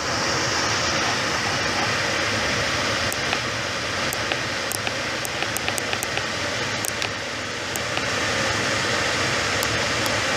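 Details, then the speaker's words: Jet air filtration system after repair, final test run: even, steady rush of air from the blower, a few light ticks, no speed changes or grinding; running normally again. "got it working, and I'm happy about that. All right, there was a final test run. Awesome."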